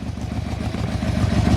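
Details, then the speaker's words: 1997 Yamaha Royal Star Tour Classic (XVZ1300) V4 with carburettors, idling. It gives a deep, even thrum with regular firing pulses, which the owner credits to the internal harmonic balancer, and no knocks or misses; idle is healthy and could be tuned to about 1,000 rpm. "These bikes have a wonderful thrum to them still. They have the harmonic balancer inside them with the twin cam on each cylinder, on the 4 cylinders. It gives it a pulse, which I quite like."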